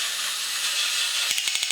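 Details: Even high-pitched whir, then quick regular gear clicks from a 1983 Horikawa Cosmic Fighter tin robot. It had squealed and run slow before the motor was lubed and wires pulled into the gears were rerouted; now it spins freely and runs normally.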